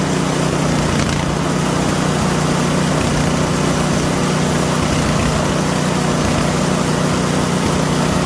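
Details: PowerSmart DB7651-24 snowblower that wouldn't start after sitting with fuel, now after an ultrasonic carburetor clean and rebuild: the small single-cylinder engine idles loudly with an even, steady beat and no misses or sputter. Normal idle.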